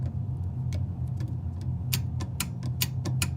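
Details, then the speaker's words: Refrigeration unit after replacing a moisture-damaged thermostat: sharp irregular clicks over low unit hum; normal thermostat clicking, absent before repair. "Hear that clicking? That's telling you we're working. I did not hear that before when I first arrived here."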